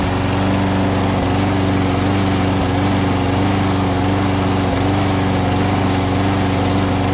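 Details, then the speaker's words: Lawn-Boy push mower engine fitted to a Murray deck: steady buzzing with brief dips every second or two, a slight hesitation suggesting uneven fuelling; the carburetor bowl is to be checked. Cause suspected, not confirmed. "Awesome. I'm gonna take the air cleaner cover off and drop the bowl, see the condition of the carburetor, see if we can get it running a little bit more smoother."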